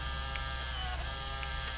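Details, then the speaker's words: Zeltex ZX101C portable near-infrared octane analyzer, built-in printer printing old and new slope/bias after entering a slope adjustment of 1.04; steady whir with light print-head clicks, normal printer operation. "the printer will come into play and what it's doing right now if I can zoom in on this for you as well is printing out the old slope and bias which are zero and one which are the default values"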